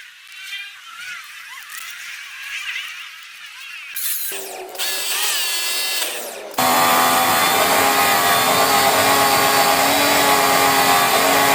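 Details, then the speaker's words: New cheap Chinese high pressure washer that failed a bearing after its motor was left running without water hose, after bearing repair: motor comes up to a steady, even whine with no grinding or rumble; earlier noise gone. "test muna natin yung tunog dito tingnan natin hindi natin navideohan n tumahimik na yung Maingay pa siya an par Paras dati kanina maingay to kanina"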